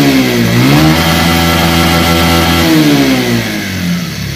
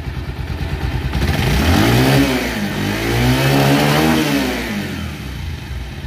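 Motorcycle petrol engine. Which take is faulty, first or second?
first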